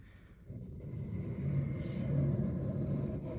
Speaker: There, you can hear the difference kind of in the sound as I run the blade down the stone.